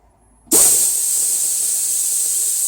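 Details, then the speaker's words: 1996 Toyota Land Cruiser 80 series 4.5 petrol, A442F automatic (intermittent 2nd-gear take-off, no overdrive): air pressure test of the removed torque converter clutch solenoid, unpowered; steady high hiss as air flows straight through, normally open as it should be. "Off, on, off, on, off, on. Alright, well, initial tests, they're not leaking."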